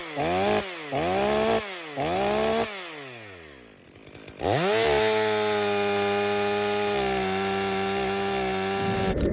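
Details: Stihl MS 500i chainsaw, warmed up after fuel-system purging, cutting frozen wood during calibration test cuts: quick throttle blips, then a steady, even high pitch through the cut without stumbling; runs healthy after repair of suspected weak fuel pump.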